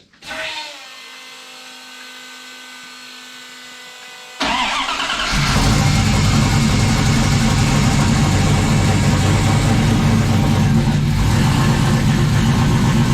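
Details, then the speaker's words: 1995 Dodge 5.9 Magnum V8 in 1951 Dodge dually, new Comp Cams Xtreme Energy 20-746-9 cam, 60lb injectors, GT45 turbo, engine hot: catches and settles into a fast, lumpy idle around 850 with steady cam chop, all eight firing; normal. "that's all eight that's one it's got a pretty good 850 yard again yeah it sounds pretty good"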